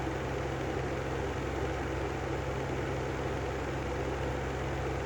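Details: Brand-new Lanson style 3 exhaust fan running: steady low hum with constant rough drone; bad bearings.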